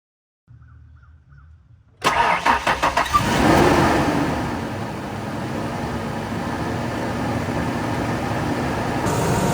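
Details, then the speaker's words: Ford F150 just after a water pump replacement and coolant refill of about 2.5–3 gallons: starter cranks briefly, then the engine catches cleanly into a steady, even idle with no knocks or misses; no leaks seen. "All right, so she's running. Doesn't look like there's any leaks anywhere. Everything looks really good."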